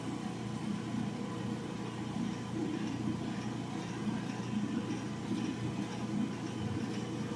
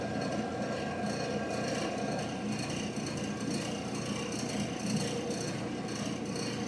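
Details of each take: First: Old General Electric gas clothes dryer repaired for not heating: steady even drum rumble with soft burner roar, no knocks or scraping; normal running with burner heating after repair. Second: Old General Electric gas clothes dryer that does not heat, door switch held for test: steady drum rumble and rubbing, igniter glows but no gas valve click, valve not opening; likely one of two valve coils faulty.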